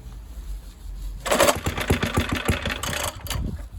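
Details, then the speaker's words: Suffolk Super Punch 17-inch mower, about 42 years old, started for the first time after choking: a quiet stretch, then it catches at once and settles into a steady, even firing beat; engine starts and runs. "let's work that's running so the guy who sold this to me eight pounds 50 on eBay got it 42 years ago for five pounds"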